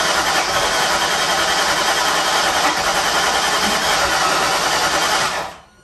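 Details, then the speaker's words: Holley Terminator X EFI build, first start attempt with fuel leak at a fitting: steady fast cranking churn for about five seconds, slight combustion and fuel smell, no catch; owner suspects dual sync distributor installed at wrong timing. "You guys heard, it's like, you can definitely smell fuel coming out. You can see it's like a little bit of combustion. I'm almost wondering if maybe I don't have this dual sync dropped in at the right timing."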